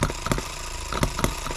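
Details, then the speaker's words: Small single-cylinder H73 engine after recent repairs, about 40 minutes into a long endurance run on a hot 100°F day, possibly low on fuel; it putters unevenly, beats bunching and skipping instead of running steadily, cause unclear. "all right well right there is 40 minutes you guys listen to it something's happening"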